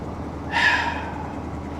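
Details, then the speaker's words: Salvage-auction vehicle after start on booster pack: quiet at idle, then rough knocking surge when throttle is blipped; lower-end knock showing under revs. "oh no no it's quiet at idle but if you give it a little gas there it is yeah she's got a lower end knock"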